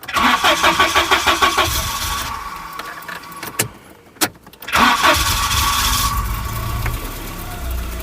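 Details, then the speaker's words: Volvo 740 rescued from scrap, after new in-tank fuel pump and full new exhaust fitted: quick cranking, then catches and settles into a smooth quiet idle, no longer blowing from the manifold; healthy start. "Oh, that's quiet. Oh, that's peaceful. That's the first time I've heard it not blowing from the manifold."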